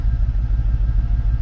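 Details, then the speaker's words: Mercedes CLK 55 AMG V8 stored in a barn over a year, started, smoke not cold condensation: uneven lumpy idle with irregular low pulses and misses; blown head gasket, car undrivable. "c'est pas de la condensation c'est voilà un problème qui se résume en trois lettres J D C comme on dit dans le jargon un bon vieux jint de"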